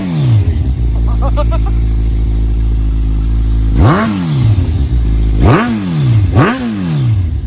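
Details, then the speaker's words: 2015 Kawasaki Z1000 with a newly installed cheap eBay header kit and no catalytic converter: loud raspy idle with three sharp throttle blips and a harsh puffing edge. The exhaust leaks at one side's clamp however it is positioned. "but there's also a leak on this side of the exhaust right here. No matter where I position the clamp, it keeps leaking,"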